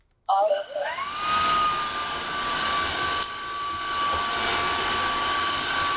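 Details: Cordless wet-dry floor washer, about a year old, in low mode: motor spins up smoothly to a steady mid-pitched whine and holds evenly with no rattle; normal low-speed running.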